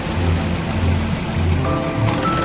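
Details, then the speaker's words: Maruti Swift Dzire VXI petrol idling near 1000 rpm with poor pickup and heavy misfiring, coil and air filter already replaced elsewhere: uneven pulsing idle with thumps and gaps, vibrating as the first and second injectors are disconnected in turn; misfire rough idle. "ಇಲ್ಲಿ vibration ಆಗ್ತದೆ ನೋಡಿ ಈ vibration ಇಲ್ಲ ಆಯ್ತಾ second ಹಾಕಿ second ತೆಗೆದಿದ್ದೀನಿ ಇದಕ್ಕೂ vibration ಆಗ್ತದೆ ನೋಡಿ"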